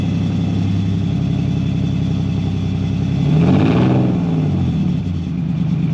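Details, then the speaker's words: BMW E46 330ci drift build on solid engine and gearbox mounts, headers and new custom valved exhaust, first start: deep, even idle burble, a quick clean blip and settle; the exhaust valve changes tone more than volume; normal idle. "So, the exhaust, it sounds all right. The valve control doesn't really dim down the noise volume. It kind of changes the tone a bit."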